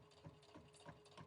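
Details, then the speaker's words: Brother Innovis A150 sewing machine slowed down, sewing three thick layers of fleece; dull knocks about three to four per second with light rattle, clunky labouring stitch but still stitching: clunking when sewing thick layers. "Okay, so can you hear that? It's a bit clunky. That's my word of the day, clunky."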